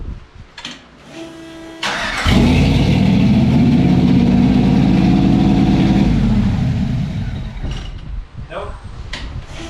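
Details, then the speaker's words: First start-up of a custom car build: it fires and settles into a fast, steady roar far above normal idle, then drops away. The owner suspects the throttle openings aren't fully shut, a tiny gap multiplied across eight letting too much fuel and air in. "yeah rushing in there for just an idle so yeah you don't be sitting at a stop light well maybe you do want to be sitting on a stop light deafening everybody but it's not good to ha"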